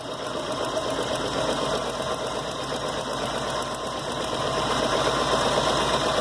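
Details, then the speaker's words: VW Gol engine, throttle cable reconnected at throttle body: quick regular metallic ticking about three per second over idle and revs; engine knock that appears with cable on. "Nossa depois do cabo no lugar que foi que aconteceu ouviu veja o que o barulho agora começou aparecer"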